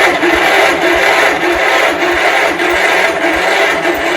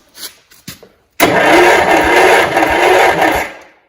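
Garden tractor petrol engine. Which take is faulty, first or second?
first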